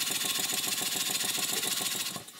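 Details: Stuart 5A model steam engine, bought online, on steam oil with pressure turned up: quick, even chuffs about seven or eight a second, no knocks; runs smoothly, slight flywheel run-out, normal running.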